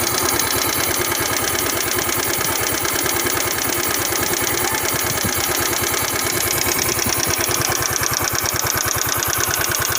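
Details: Yamaha Mio scooter single-cylinder engine at idle: a quick, even tapping follows each firing stroke, a clear top-end valve ticking noise.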